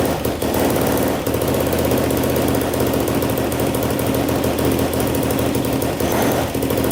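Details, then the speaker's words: 2007 Yamaha YFZ450 quad, bought in pieces after sitting, reassembled, first start on choke: loud fast chatter over the single's steady beat, no smoke; top-end tapping, owner unsure if valves or timing chain, suspects timing chain. "a little loud on the top so i'm doing great though not smoking all right well uh it runs pretty good i hear a little bit of tap and noise i don't know if it's the valves or the timing chain"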